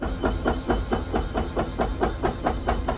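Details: RV slide-out room before repair, retracting: steady motor drone broken by regular pops a bit over two a second as the room lurches in, caused by a collapsed wear bar; fixed by installing rollers.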